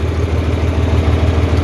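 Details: 4020 LP propane tractor idling warm on liquid fuel just before the valve-closing shutdown procedure. Low, regular chuffing idle at an even beat with no stumbles or misfires. It runs cleanly.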